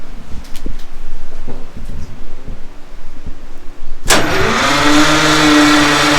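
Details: Detroit Diesel 6-71 first start attempt after rebuilt starter with new left-hand Bendix, fuel primed, turbo pistons; four seconds of slow, uneven cranking then a loud rush that never settles into an even run; no start, white smoke, low compression suspected, cause unconfirmed.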